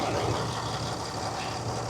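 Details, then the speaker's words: Truck idling with AC on while charging refrigerant through the low-pressure side; the compressor has kicked on. Steady, level idle with a constant low drone and no knocks or squeals. Normal idle with AC compressor engaged. "Started the truck up, turned the AC on. The compressor has kicked on."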